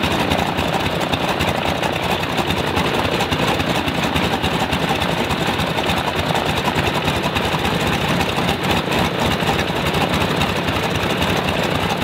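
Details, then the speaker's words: Stinson L-1 radial, duplex magneto with distributor outputs swapped to isolate fault, runs rough with irregular, stumbling firing pulses; fault stays left, left distributor blamed; dead left magneto side. "no it's still the left man it's still the left mag so if it's still the left mag the left mag is feeding it or the right side so it's the left distributor"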